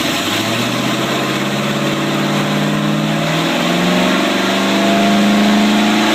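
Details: 1995 Range Rover Classic LWB V8 now on MSD Digital 6A ignition with stock coil and open headers: steady idle pulling into smooth, even revs that climb and settle with no misses or knocks; normal idle and revving.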